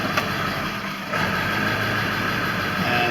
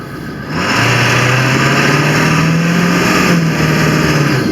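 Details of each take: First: 2000 Ford F-350 7.3 Power Stroke diesel at idle, Hydra chip on stock setting: idle sags then surges, fluctuating and never smoothing out; truck also starts and dies; faulty injection pressure control. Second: 2000 Ford F-350 7.3 Power Stroke diesel after IPR valve replacement, not yet at operating temperature, at full throttle on the road: pitch climbs smoothly with no bogging or stumbling; strong, healthy acceleration.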